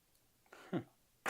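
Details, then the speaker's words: Solenoid salvaged from a disassembled printer, bench-powered at about 20–22 V: two sharp, dry clicks half a second apart as the normally pulled-out plunger snaps back cleanly; working normally. "so it's a Sol no that's normally pulled out and every so often it just snaps back that's good to know"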